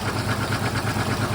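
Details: Volvo automatic bought from Marketplace, starting up: low, lumpy idle with an uneven pulse, some beats weaker than others; sounds awful, cause not yet known.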